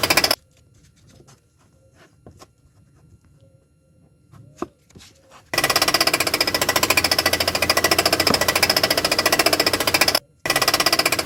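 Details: Citroën Xsara 1.6 16v TU5JP4 petrol engine at idle: harsh, rapid, steady knocking resembling rod bearing knock; belt removed and pulleys checked by hand, the crankshaft vibration damper pulley was found virtually destroyed.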